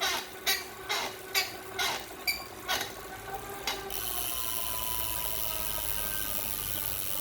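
A sharp chirping squeak repeats about twice a second, in step with the pedal strokes, then gives way to steady hiss; the source is unclear.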